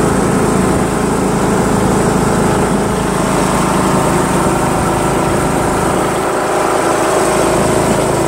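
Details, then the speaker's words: John Deere L100 lawn tractor with Briggs 1742 engine, driving around the block with the mower deck installed after the PTO cable adjustment. A steady, even buzzing engine note at constant speed, with no stumbles or surges. It starts easily, runs great and barely vibrates. "this thing runs great always starts up great and you know what I think it's gonna mow really well too because it spins really well and it doesn't really vibrate"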